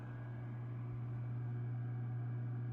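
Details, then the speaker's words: DIY Class A single 6V6 amp, Fender Champ-style, played through a 2x10 cab at 8 ohms: steady, low, barely audible hum; supply ripple suspected, to be cured by adding a 4-5H choke and another filter cap; power supply hum. "with the addition of a choke and maybe one more cap in the power supply this will disappear but it's barely"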